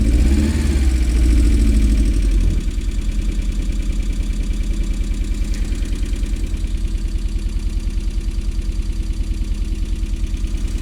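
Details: MG, first start after repair work: loud start, then a lumpy, uneven low thump about three per second at idle with some smoke; owner suspects a misfire, possibly running on three cylinders.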